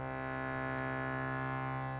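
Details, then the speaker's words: Bhava harmonium recently moved from Chicago to dry Colorado, humidity raised to 50%: a clean, steady reed chord with no rattle or buzz, showing how a healthy harmonium should sound, before demonstrating a buzzing reed. "this is how um it should sound"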